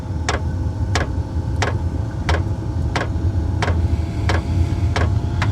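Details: Diesel heater starting on level one after its roughly three-minute warmup phase: crisp regular ticking about one and a half per second from the fuel pump over a low fan roar, a normal startup.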